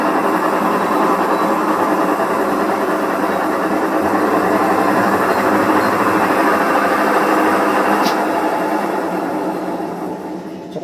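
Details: Fujidenzo automatic washing machine with a very noisy dryer spin: loud, dense grinding roar with fast rattling texture as the drum spins, pointing to a worn gearbox bearing; gearbox replaced.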